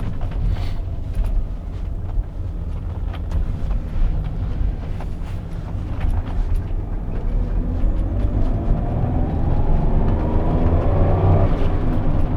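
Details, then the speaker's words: Citroen XM 3.0 24V on a gentle road test with suspension still suspect; under steady road rumble, a faint whirring rises with road speed, like a bearing; the driver thinks it is brakes bedding in, not confirmed. "got something that sounds like a bearing but I think it's the brake uh Brakes beding in a little bit"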